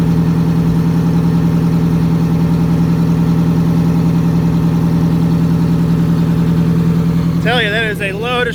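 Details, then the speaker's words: MCI MC8 diesel bus, sat about two years, now started without the charger; shutoff solenoid not working: steady, even idle with smooth low drone, no knocks or misses; engine running healthy, normal idle. "she's running i forgot i don't have shutoffs up here [Music] we didn't need no stinking charger listen to that thing purr"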